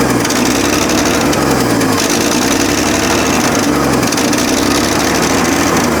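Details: Abandoned 1965 Chevrolet C10, 292 inline-six with 3-speed manual, first start on a makeshift gas tank after a canned carb rebuild: steady idle with a sharp puffing tick over the engine note, an exhaust leak at the exhaust manifold that masks the timing.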